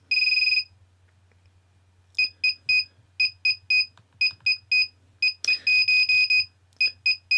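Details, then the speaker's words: Naze32 flight controller buzzer in Cleanflight with vBat voltage scale wrongly set to 124: high shrill piezo beeps in pulsing bursts about four per second, false low-voltage alarm; setting the scale back to 110 stops it. "That is the noise of the low voltage alarm. That's what it sounds like. It's that pulsing noise."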